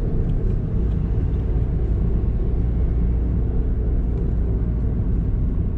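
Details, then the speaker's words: Honda car cruising: deep constant droning rumble under road noise, like a muffled scooter silencer, rising with speed and fading when slowing; felt to come from the front right; worn wheel bearing. "कभी-कभी जब तेज चलती ऐसा भी होता है कि scooter के silencer से आवाज आती लगभग उस टाइप की दबी हुई आवाज में"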